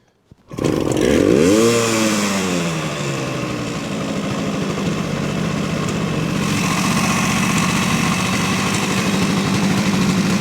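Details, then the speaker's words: 1970 Suzuki T350 Rebel two-stroke twin, long stored, started on choke after carb cleaner: fires, revs, then ragged idle stumbling irregularly, may not stay running; owner unsure left cylinder is firing, suspected one-cylinder running. "I don't know if it's going to stay running no let me go ahead and let it air out in her"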